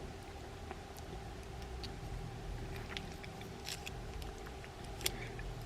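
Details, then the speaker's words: Spinning reel with the spool removed to localize the noise, handle cranked: faint, sharp ticks once per turn. The likely cause is a stuck bail trip lever catching the post each time it comes around. "so that's that's probably what is clicking here we have what I would believe is is a stuck trip lever"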